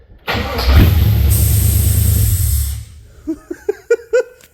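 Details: Holden HQ Monaro after a sump conversion and new oil filter, oil drained and galleries possibly unprimed, started after a soldered power fix: starter turns briefly, engine catches at once and runs steadily, then a few clunks; owner then hears a vacuum leak.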